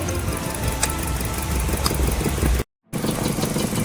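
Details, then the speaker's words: Maruti Swift Dzire VXI petrol idling near 1000 rpm with poor pickup and heavy misfiring, ignition coil and air filter already replaced elsewhere: low uneven idle with stumbles, vibration increasing as the fourth cylinder is disconnected during a cylinder check; misfire rough idle. "Season ನಾಲ್ಕನೇ ತೆಗಿತೀನಿ vibration ನೋಡಿ ಆಗ್ತಾ ಇದೆ vibration vibration ಆಗ್ತಾ ಇದೆ ನೋಡಿ ಇದೆಲ್ಲ ಅಳ್ಳಾಡು"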